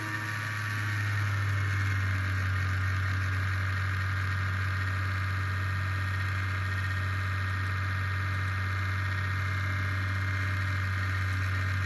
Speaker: Corsair QX120 fan, brand new, making this grinding sound. Any ideas on how to fix it?